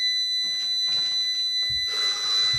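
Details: Orvaldi INV-12-840W Home UPS showing error F05 with no 220 V output: one unbroken shrill beep around 2 kHz at startup; diagnosis found blown IRF3205 and KGF75N65KDF inverter transistors.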